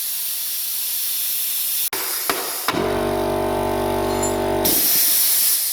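Constant sharp air hiss continues before and after the motor runs briefly, so the unloader valve is not sealing and keeps bleeding air.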